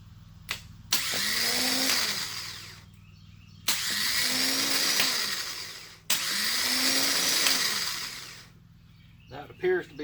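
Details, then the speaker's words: Old starter from a 2005 Kawasaki Mule 3010, bench-tested hot-wired: three strong even two-second whirring spin-ups with no grinding; starter works, though no-start problem persists after starter replacement. "this is the old starter [Music] you can see it works just fine jumping around a little bit made it disconnect but it pretty much starts as you can see"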